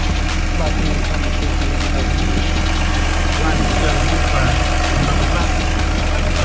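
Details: Misfire on cylinder 5: low idle with an uneven, loping pulse and an occasional stumble in the beat.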